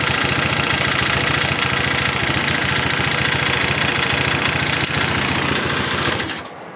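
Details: Honda PCX 150 scooter idling with the tensioner cap removed. Rough, with a fast, uneven knock of 3–4 per second, then it shuts off; the tensioner or cam chain tension is suspected and the head will be opened. Finding: piston scuffing.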